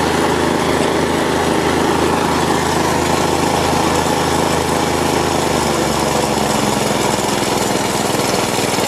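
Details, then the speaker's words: Plate compactor with an unbranded Chinese Honda GX160-copy single-cylinder engine, with a new spark plug and cap fitted and the oil sensor reconnected. Steady, even drone with no misses or stalling shows normal running and a working oil sensor. "To samo mogę powiedzieć czujnik jest okej działa nie gasi nam"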